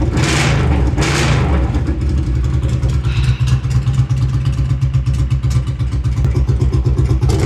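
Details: Honda Silver Wing (GL500) V-twin with new custom stepped unequal-length headers, no mufflers: deep, loud, raw thump with sharp revs, then a lumpy unmuffled idle; fuel leaking; loud exhaust from open headers.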